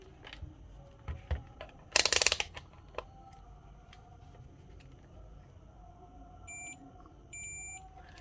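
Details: Samsung Galaxy M31s with speaker fault, phone opened and bare loudspeaker tested directly: short clean high chirps between handling clicks, no distortion; speaker fine, owner suspects missing motherboard components or cable.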